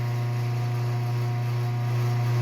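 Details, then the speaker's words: Garage door opener in a cold unheated garage: pressing the button gives a loud, steady low hum with no movement; the opener motor strains and the door never opens, stuck partly open; cause not confirmed. "it's a really bad sound. I'll press it again. Oh yeah. That's not good. So that's why this is moved up in priority a little bit, because this thing just does not even open at all."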